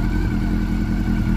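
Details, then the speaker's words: Honda CB400 Super Four that overheated and became noisy; the valve clearances had grown and were readjusted. Now being monitored: a smooth, even hum at steady speed with no top-end ticking; quiet valvetrain, normal running. "Tahimik na ulit. Wala nang lagitikan."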